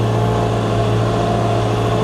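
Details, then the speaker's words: Wheel loader after repair, hydraulic pumps had stopped turning; new pump drive chain fitted: constant even diesel drone, steady tone, no chain slap or squeal; much quieter than the old chain, which squealed when warm; normal running. "Nyt kun on uusi ketju, niin ihan niin kuin eri koneus tällä hetkellä."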